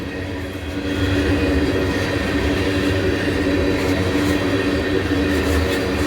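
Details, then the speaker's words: Trains passing at Abbeville with a heavy, continuous rolling roar that growls instead of hums. Attributed to rail grinding leaving little grooves in the rails. "If you hear how noisy the wheels are, that's cuz they grind these rails down. That leaves little grooves in. That's why the rails ain't huming. They're growling."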